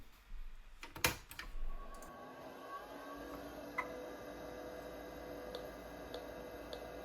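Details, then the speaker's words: Old Kalok hard drive in a 286 PC running check disk: light irregular ticks and chatter over a steady spin hum, no scraping or repeated clunks; drive seeking normally. "I love the sound of these old K-Log hard drives, but unfortunately, the failure rate of the ones that I have come across is fairly high. So yeah, really excited to see one that's working."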